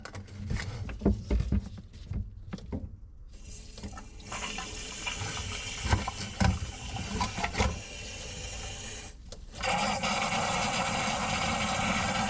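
Hot water rushes and gurgles steadily down the drain with no choking or backing up, so the line is now flowing freely.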